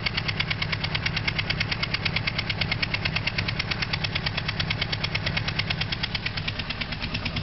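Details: Honda CBR600RR, 2003: motorcycle engine idles with a fast, steady, sharp clicking riding over the low run; cause unknown.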